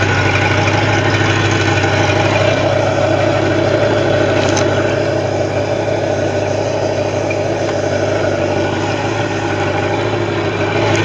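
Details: Bayliner boat engine with a bad starter at a steady, even idle with a smooth low rumble and no knocks or misses; it is running cleanly.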